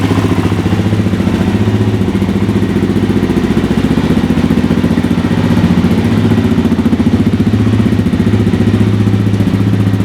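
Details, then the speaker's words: Suzuki LTZ 400 quad first start after top-end rebuild (new cam chain, piston rings, reshimmed intake valves, new oil hoses) to cure ticking; fires right up into even, quick single-cylinder thumping at a steady idle, with no tick or clatter. "So as you can see, that fired pretty much right up. In my experience, after a top end rebuild, I've had to crank on the engine to get it to fire for a little while. But sure enough, she fired right up. There's not even the slightest trace of a tick."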